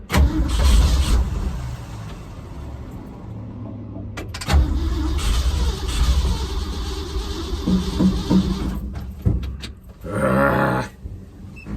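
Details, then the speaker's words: Carbureted engine on the Frankenstein truck project, cold start during timing and carb work: uneven cranking broken by sharp, deep thumps and pops as it backfires, with fire coming out the front. "whoa fire that's scary okay yeah that was a that was a bit of fire uh out the front"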